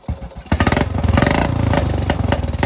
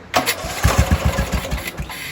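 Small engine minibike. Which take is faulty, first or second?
first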